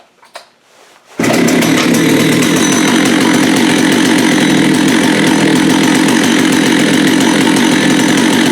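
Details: Vintage Jonsered 80 chainsaw after a carb kit and diaphragm change: fires after a second of quiet, then holds a high, even two-stroke buzz with no stumbling or surging; running cleanly.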